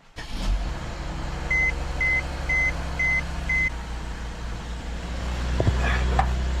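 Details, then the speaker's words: Mercedes W212/S212 E-Class (2010–2014) after replacing both leaking rear air springs with Arnott parts, car lowered to trigger pump-up: chimes, then a steady low electric hum as the compressor raises it from 26 to 27 inches; normal operation. "it's pumping, I can hear it. It's coming up, it's almost at the level."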